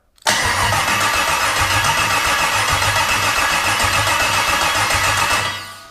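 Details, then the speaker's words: Freshly built engine from scratch, out of the car, starter test before installation: steady, even cranking pulses about four a second for five seconds, no grinding or clicking; the starter turns it over strongly. "that works pretty darn good I'm so excited I built another engine this one completely from scratch which was very exciting but it sounds pretty darn good"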